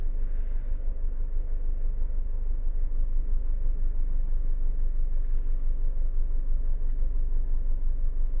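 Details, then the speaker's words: Honda BR-V 1500 cc idling with a static Jet Ranger turbo ventilator in the air intake; low, even rumble at steady 650-700 rpm with no knocks, stumbles or hunting; idle unchanged; normal idle. "Titiknya kurang lebih sama sih RPM-nya, di RPM kurang lebih ini di 650 sampai 700 RPM."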